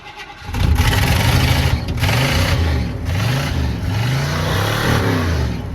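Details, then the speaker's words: 351 V8 truck sat about a month, started foot to the floor: it cranks briefly, catches within half a second, then settles into a deep, even rumble with a few clean blips. A healthy start after sitting. "Good old 351. This truck right here, I'm telling you. This thing will run no matter what. This thing's been sitting for months too."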